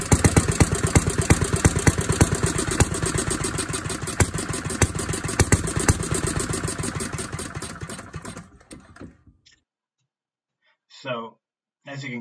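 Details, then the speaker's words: 1937 Briggs and Stratton Model A single-cylinder engine, run about a minute; even thumping around three beats a second, no knock or miss, then winds down and stops, normal running. "but it ran and it sounded pretty good no abnormal noises or anything unusual no knocking nothing"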